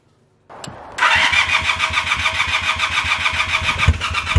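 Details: 1978 Honda CB250 twin after valve clearance adjustment, three of six valves way off: starts after short crank, fast uneven popping idle with stumbles, idles a bit low, responds to choke, sputters on throttle and won't rev.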